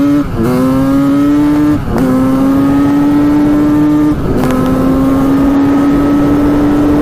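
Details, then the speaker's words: 1985 Honda CR250 two-stroke after cleanup and moving the carburetor needle clip to the third position: steady, clean drone with crisp throttle dips; runs well, slight leanness noted. "sounds pretty good to me that's awesome"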